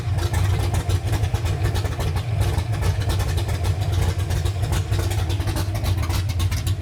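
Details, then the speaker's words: 331 engine in a Ford Ranger on first start, with an aggressive cam: loud, lumpy idle with an uneven low beat and some surging, running super rich while the computer adapts; rough idle, no knocking. "that is a rowdy cam it's running super rich right now we got to give the computer a little bit of time to figure it out"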